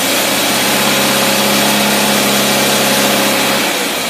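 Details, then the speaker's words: Test engine running a rebuilt Holley two-barrel carburetor, mixture already set, idling under light load: steady smooth idle with an even drone, no surging or popping; mixture sounds right. "we've already got the mixture set we're checking this Idol with a light boat like one person in the truck"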